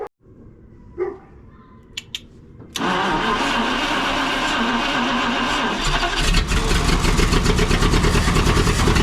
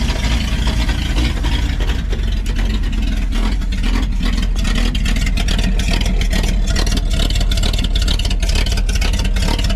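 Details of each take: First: 1952 Packard straight-8 327, exhaust down tube removed after about 2 lbs of cat food was found in the exhaust and a vacuum leak plugged; a few clicks, then the engine starts and runs loud and raw through the open exhaust. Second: 1952 Packard 327 straight-eight, after removing the exhaust down tube and plugging the manifold vacuum leak: loud, deep, even beat on open pipes with no misses or stumbles; runs smoother, oil pressure about 20–25.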